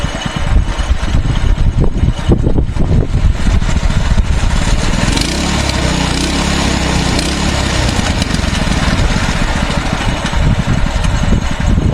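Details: Mini bike that stalled on throttle, after removing the spring, rear raised on jacks: single-cylinder buzzing at an even steady speed without stumbling or dying, normal running; carburetor still gums the plug, replacement planned.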